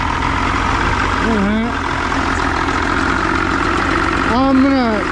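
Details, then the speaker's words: Johnson two-stroke outboard settles into a steady, even idle with no misses or stumbles after Deoxit cleaning of a corroded battery cable; the corrosion is thought to have been the whole problem. "I think what was happening is maybe you know that little bit of corrosion that's probably a positive or a negative cable."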